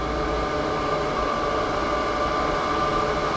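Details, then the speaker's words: Bilge blower on a MerCruiser-powered Manta Ray boat, tested during electrical troubleshooting, running with an even, constant mid-pitched whirring hum with no rattle or scrape; normal blower running. "really it tries but I don't like that sound there we go that's what a blower supposed to sound"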